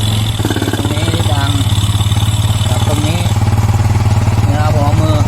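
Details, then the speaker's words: Yamaha Mio 125 scooter, air filter removed, just started on new spark plug after no-start; oil found in coolant; idle unstable, engine surges and revs by itself unprompted; carb repair kit, charging plate, copper head gasket later fitted. "แต่มันจะมีอาการเร่งแบบนี้ครับอันนี้มันดังจากตรงนี้นะครับฮะติดแล้วประมาณนี้ครับเครื่องเร่งเองแบบนี้ครับ"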